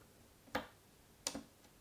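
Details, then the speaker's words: Apple Macintosh Classic motherboard with the checkerboard fault, multimeter continuity test on the 5 V and 12 V rails: only short isolated chirps, no sustained beep; no shorts found. "uh this this tells us that there are no shorts on the five and 12 volt rails so a short is probably not the issue with this board"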